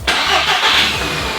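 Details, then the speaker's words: Audi cold start after fitting the correct battery, previous wrong battery gave weak cranking: brisk strong crank catching within a second and settling into steady idle — normal cranking and start. "That sounded way more like it it's crank was way stronger than it was before. Before with the other battery, it was like really weak to kind of start. Now it's on a proper cold start."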